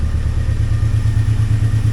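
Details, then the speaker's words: 2003 Mini Cooper, sat for a month, running after immobilizer hot-wired: quick even idle pulsing about ten beats a second, no knocks or misses; normal idle, with a separate clatter later traced outside the engine. "sounds good sounds nice"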